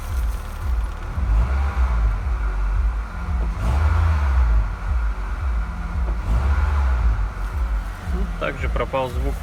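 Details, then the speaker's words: Honda Stream K20A engine after crank polishing and connecting-rod bearing replacement, previously knocking on throttle lift-off when warm: smooth, deep, even idle with no knocking; normal, though a slight noise reportedly remains with much less play. "двигатель посторонних звуков в работе не слышно"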